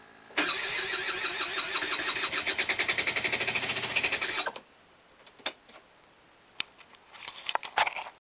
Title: Hard start - aprilia sr di-tech